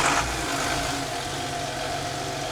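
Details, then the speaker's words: Volvo Penta TAMD 71B marine engine in a partially sunk boat, first run after standing 10 years: smooth, even idle with a steady beat and no knocking or popping; sounds healthy. "That sounds mint. That sounds really good."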